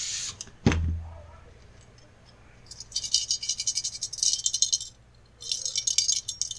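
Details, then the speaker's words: Husqvarna 550XP Mark II chainsaw muffler, removed and shaken by hand: loose metallic rattling in bursts with each shake; a broken piece, possibly once spot-welded near a dent, is loose inside. "yeah we know there's something in there"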